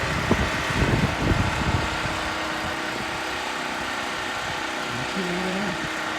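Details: New Harbor Freight Predator 4375 W generator on its first start in a garage, fuel on and choked: a few uneven bursts as it catches, then a steady even drone; runs normally.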